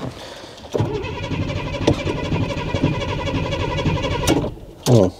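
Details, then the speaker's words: Ford Granada Mk2 2.8 V6 Ghia X, automatic, just revived after 20+ years parked, moving it into the workshop: engine runs with an uneven lumpy gallop and irregular beats, missing a little; misfire. "We got a [Laughter] gallop. She's missing a little bit."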